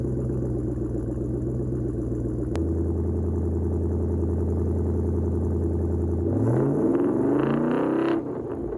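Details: 2017 Mustang GT V8 with MSD two-step PN 87311, ground-activated via clutch switch: crackly, stuttering rev for a few seconds, then pitch climbs straight past; two-step limiter not holding, faulty MSD module suspected.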